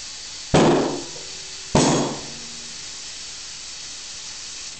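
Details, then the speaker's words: Harbor Freight tire changer, tire inflated through valve stem with core removed: two sharp hissing pops about a second apart over faint air hiss; beads snapping onto rim, seated properly. "And you want to just stick it in there, just kind of shoot some air. You can hear it pop."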